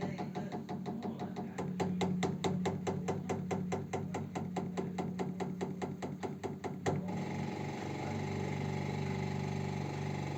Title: radiator ticking noise